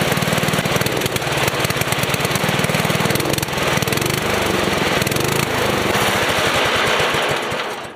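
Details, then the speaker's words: Small engine after rebuild with new carburetor O-ring: even chatter picks up cleanly on throttle without stumbling after adjustment that stopped it dying when revved. "all right so now as you just saw there I just adjusted it to where it will rev up if you just quickly like just quickly tap it"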